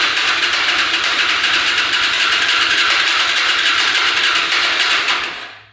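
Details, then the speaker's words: Hyosung Aquila 250 motorcycle, bought cheap, first start attempt after refilling oil: steady even cranking with no catch or firing; cranks but won't start, gas leaking from exhaust pipe, owner thinks it's flooding out. "We're getting gas to everything, so not sure what the heck is going on. We've got gas leaking out the pipe here. I think it's flooding out."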